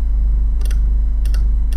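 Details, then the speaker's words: Close-up of the 1971 Soviet SB-1M/50 impulse counter: the electromagnet solenoid pulls a lever with a hook that ratchets once per impulse. Three sharp double clicks over a low steady hum; normal solenoid ratchet click. "so you see the lever are moving and this is the the electromagnet here the solenoid you can just see that's just pulling the lever out okay"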